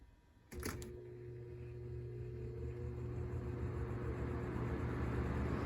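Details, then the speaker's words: Lasko box fan starting on low speed: soft start with low hum and faint rising tone plus light uneven scuffing; something rubbing, possibly blades out of balance, with some vibration. "not much of a startup and i heard some rubbing in there right away which that could be anything blades out of balance too"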